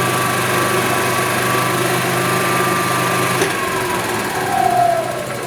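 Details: 1999 Club Car DS gas golf cart after oil top-off: small single-cylinder engine runs at steady buzzing speed, then drops off abruptly and winds down, no knocks or misses.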